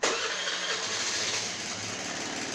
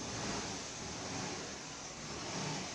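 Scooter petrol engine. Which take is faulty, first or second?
first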